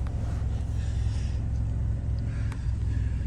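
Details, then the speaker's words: Vehicle at auction yard, jump-pack started with dead battery: even low rumble at constant speed with no misses or ticks; smooth healthy idle, ABS and tire pressure lights on. "Started right up. Looks like we got an ABS light on and a tire pressure light. Engine is smooth."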